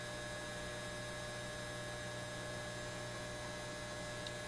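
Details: Repaired Lambda power supply on a BK Precision 8540 electronic load, 20 amps at 5 volts, 100 watts, drawing 13.82 amps from the wall: loud constant 60 Hz buzz with thin whine, rising with current; owner suspects rust spacing apart the transformer laminates.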